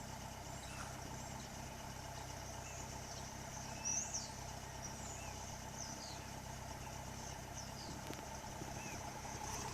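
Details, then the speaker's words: 1976 Toyota Corolla TE31 engine with new catalytic converter and two-inch hot-dog style muffler, recorded at the rear exhaust; quiet, steady low burble at idle with no misses, ticks or leaks, running cleanly. "right now it is what it is it does the job and it sounds pretty good and runs"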